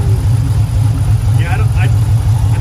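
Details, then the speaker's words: Hemi fitted with a Moe's HPT camshaft kit and Hemifever tune: a deep, choppy idle loping in a steady rhythm; it's a healthy cammed lope, though one person had suspected a misfire. "Yeah, it turned out nice, man. It did. Oh, it's got a nice little. Ooh."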